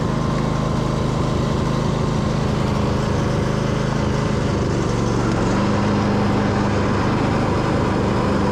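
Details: Husqvarna YTH2242 Briggs V-twin after bent push rod repair, mowing with bagger: steady, even drone holding speed, pitch settling slightly as load changes; running smoothly under load.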